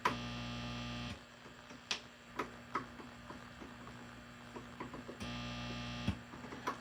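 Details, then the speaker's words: Mesa Boogie Triple Rectifier Solo guitar amp head, channel-switching fault fixed: steady low 60 Hz hum with buzzy edge whenever the amp is live; pervasive preamp mains buzz, cause not yet traced. "Quickly fixed that, but now there's a pervasive 60 hertz buzz present in the preamp."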